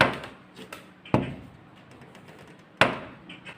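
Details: Swing door closer knocks with sharp "tak tak" above the door frame as the closer snaps it shut, after long use loosened the receiver groove and its cover nut; the recorded fix is a thin steel shim plate and tightening the nut.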